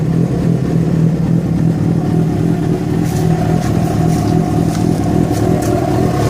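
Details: Yamaha FZ6 revving, with unexplained engine noise that began after riding about 70 km on two cylinders because of a failed ignition coil connector: loose, uneven clatter over the exhaust note, light ticks later; source unclear.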